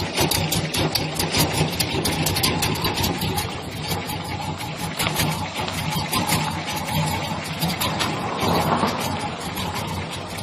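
Idle stumbles with an uneven, lumpy beat and occasional skips instead of a steady rhythm; rough running, cause not evident.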